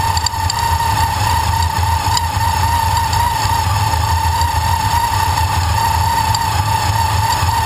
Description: tvs2300 making a knocking noise. sounds like a bearing going out to me.